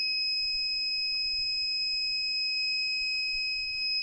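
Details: Reliable 1500 W inverter on four Panasonic 36V ES200G scooter packs running a 5000 BTU window AC: steady high-pitched alarm tone when the AC load comes on, the inverter's low alarm before shutoff; cause not confirmed.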